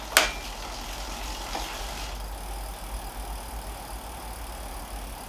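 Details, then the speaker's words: Planet X Pro Carbon bicycle wheel after replacing grumbling hub bearings: soft even hiss as the wheel spins down, no grumble or gritty roughness; bearings now smooth. "that's so much better quite pleased with that good good"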